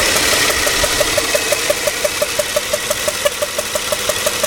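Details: 2005 Toyota Sequoia SR5 4.7L V8 with about 162,000 miles, jump-started from a dead battery, oil pressure and other lights on: sharp, evenly spaced pops about three per second over the idle. No stored or pending codes, cause unknown.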